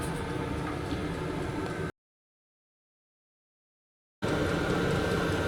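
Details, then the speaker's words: VEPAX DD53 Pro diesel heater in a garage, about 8 minutes after switch-on, display reading about 8 degrees and 12.9 V, on program 10. Smooth, unbroken burner roar over a steady fan hum with no surging or clatter; running normally. "You can definitely hear it kicking in now. So I'm gonna let this run for 20 minutes and come back to you and let you know what the temperature's got"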